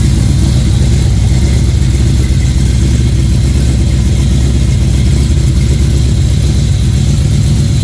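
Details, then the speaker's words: GM Performance Parts Chevy 350 crate engine (rated 330) with a marine carburetor, being considered for a boat: deep, even V8 burble at a steady idle with no knocks or misses; healthy, normal running. "let me fire it up let you guys hear it with the Marine carburetor uh sounds pretty good"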